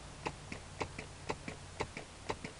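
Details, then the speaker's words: Amplifier with no input signal, volume, treble and bass fully up: occasional sharp pops through the speaker from Uncle Dorkel's new mouth solenoid interference, much improved; the neck motor is noisier despite a capacitor. "a lot better every once in a while you get a pop coming through the speaker hear it not all the time"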